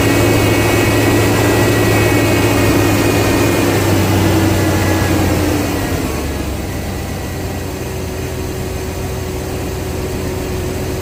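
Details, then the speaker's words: 1999 Chevy 350 5.7L Vortec V8 just after replacing the distributor cap and rotor: smooth steady note holding revs, then easing down to an even idle with no stumble or miss; normal running after repair. "Let's go ahead and fire it up and see if she fires up."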